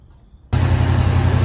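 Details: 1985 Chevy C10 with gunked cooling system and a sticking thermostat, started and run during a Prestone flush to heat up: it catches and settles into a steady even low rumble with no knocks or misses; healthy idle.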